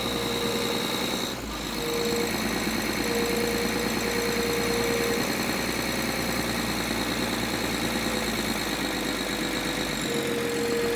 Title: N53 Engine Rattle 3